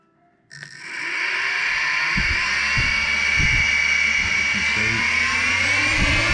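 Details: RC brushless motor and ESC on a servo tester, throttle started at the zero position, powered by a LiPo: quiet, then spins up to an even high whine with light thumps underneath, a healthy run.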